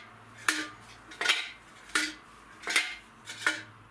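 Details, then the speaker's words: Peugeot Speedfight 50cc water-cooled moped, original heavyweight exhaust removed and shaken: loose metallic clatter inside the silencer; broken internal baffles, exhaust worn out and to be replaced with a sports exhaust. "that's not right that's not right and that most certainly wouldn't have been good um yeah so this is knackered and i don't think he has exhausted that long"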